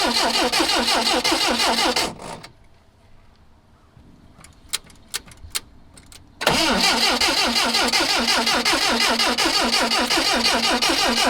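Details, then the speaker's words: 1979 Lotus Esprit that has sat about seven months, on a jumper box: the starter drags the engine over slowly, about three turns a second, and it never catches. Cranking is too slow to fire, so more voltage is wanted. "we need to get it spinning a little faster yeah it's pretty pretty so yeah but it would do"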